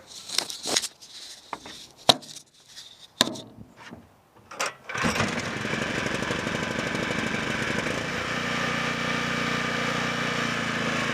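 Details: Low-hours 11hp Generac generator engine, generator head burnt out, after penetrating oil on a stuck carburetor idle control: after clanks, it catches and settles into a steady, even chug with no misses; running normally.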